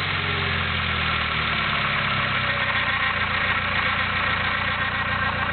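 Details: Nissan SR20DET idling petrol engine: harsh gritty grinding over the steady idle, pinpointed to the front of the cylinder head where the VTC sprocket sits, only at idle; VTC suspected, not confirmed.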